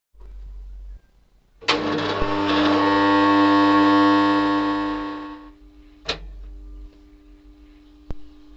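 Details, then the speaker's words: Motor starter contactor on a farm motor: loud, steady mains-frequency buzz for about four seconds, then it drops out. It is chattering on carbon-fouled, rusted contacts and magnet faces; it can be repaired at home. "अभी आपने देखा दोस्तों बहुत ही ज्यादा आवाज़ कर रहा है ये और आवाज़ बहुत ही अटपटी और महसूस ही लग रही है"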